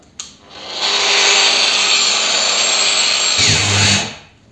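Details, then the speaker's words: Procraft PW 1100 ES 125 mm angle grinder under heavy load: high steady whine, then the motor cuts out abruptly to protect itself, as it also does when the disc jams. Restarting requires switching off and on. Overload cut-out. "пошла нагрузка и чтоб не спалить движок болгарка сама себя выключает также точно происходит при заклинивании диска как только диск закусила болгарка остановилась причем остановилась видели резко Да от нагрузки"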